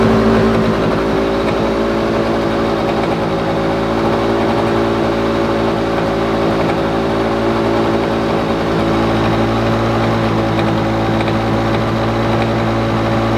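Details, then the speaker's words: Lawn Boy two-stroke mower, previously running very rich with low revs; mixture screw opened half a turn, throttle/governor closed a couple clicks: steady even drone at low unchanging pitch, revs noticeably lower, so governor setting to be opened three clicks. "I'll open it up another three clicks and see if we can get to r a bit higher it's noticeably lower now"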